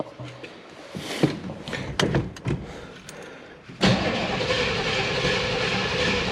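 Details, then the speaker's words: Abandoned Chevy K5 Blazer, first crank attempt: after some clatter, a steady churning crank that never catches or fires. Fuel can be heard going through the return line; spark is unknown. Cause suspected, not confirmed. Crank, no start. "She's turning over. I hear the return line working."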